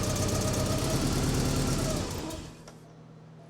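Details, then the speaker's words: Porsche 944 with suspected fuel injector or electronics fault, cam timing confirmed correct, cylinder 2 injector plugged back in after a dead-miss test: rough beat about four a second, briefly runs better, then sags and stalls; cause unknown. "it killed it but did you hear how for a second second it ran better and then it died why"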